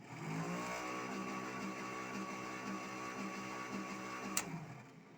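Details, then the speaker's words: Suzuki Carry 10 fitted with Suzuki Thunder 125 motorcycle engine: added DC electric cooling fan beside engine gives steady even whir with faint constant high tone, no knocks or rubbing; fan running normally. "Dan suara itu adalah suara kipas teman-teman. Jadi di dalam bukan di dalam ya, maksudnya di sebelah mesin motor yang terpasang itu saya kasih kipas."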